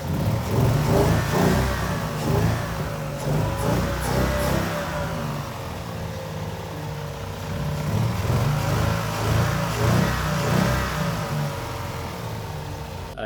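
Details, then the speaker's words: BMW-engine-swapped Nissan S13 after the vacuum leak that had made bank 2 run very lean was fixed: the engine revs up and settles back smoothly with no stumble or misfire, a normal healthy run. "Huge news. The car finally runs good."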